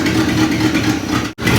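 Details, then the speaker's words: 1961 Chevy Apache V8 revived after 20 years parked in the desert, idling a little lumpy and uneven with a stumble in the beat; misfire suspected from a plug; charging at 13 volts. "Yeah. Like Dad was saying, it's got a miss, so it's probably a probably a plug."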